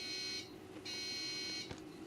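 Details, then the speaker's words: Machine at power-on: shrill buzzer-like beep repeating about every 0.8 seconds, unlike a typical bad-RAM beep code; it continues for a while, then stops and the machine boots fine; owner thinks it signals something bad, cause not determined. "oh that's more like a buzzer that means your pizza is ready yeah but it's funny it'll be for a while and then it stops and it boots fine"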